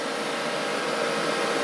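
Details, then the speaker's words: Old desktop PC that still boots: loud steady airy rush with a faint hum, like a vacuum cleaner; the processor heatsink fan is very loud. "heatsink for the processor sounds a bit like a vacuum cleaner when it turns on this is officially the loudest PC I own"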